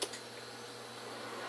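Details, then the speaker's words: Failing networked web power switch rebooted: a sharp relay click then a faint second tick in a quiet room as relays switch on, with fewer clicks than outlets; some outlets' relays not heard. "Alright, so when I restart this, we should not only see the plus signs lighting up inside this little window here, we should also hear the relays kicking on."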